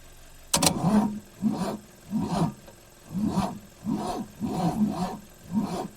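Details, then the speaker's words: 1965 AMC Rambler American sitting 30–40 years: starter drags the engine over slowly, about one labored compression a second, never catching; weak or no battery and a worn starter, no valve clatter. "It could be a connection issue still, but that starter didn't spin very good when I had it out of the car. So I don't think it's going to do very good in the car. It's got to spin over a little faster than that. That could be the fact that we have no battery."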